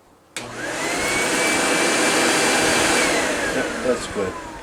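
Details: Proteam Proforce 1500XP upright vacuum, just fitted with a new bag, switched on: motor spins up to a clean, steady high whine and holds evenly with no rattle or labouring; normal running.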